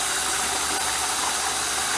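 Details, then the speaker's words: Intex 635T 1500 GPH pool pump after a temporary rigged repair, purging trapped air: even rushing hiss with no knock or grind, still a little noisy; it runs and sucks well. "it's sucking and it's sucking good still a little on the noisy side but then again we kind of just rigged this thing together from the pieces we had"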